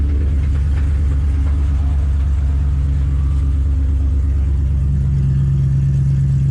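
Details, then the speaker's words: Cold start after six months in storage: budget 5.3 LS V8 in an S15 hotrod, never had an oil change, settles into a steady, even idle with quiet injectors and no lifter tick from the top end. "No lifter tick at least."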